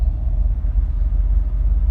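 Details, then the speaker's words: 1987 Camaro IROC V8 running after a new injector, not driven in years: a deep, slow idle that sits a little low and stumbles slightly. Owner expects it to smooth out with driving; oil pressure also reads a little low. "Idle's stumbling a little bit, but it's a little bit low. But I mean, the car hasn't been driven, so you know that'll probably work itself out."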